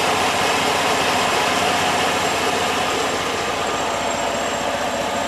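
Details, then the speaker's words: Freshly swapped 3.7 Duratec petrol V6 running on a PCM programmed for a 3.5, no codes: idles quietly and evenly with a soft hiss and faint light injector ticking, a smooth normal idle. "but that is a smooth running engine even with the tunes water pumping on him listen to that how quiet this is folks"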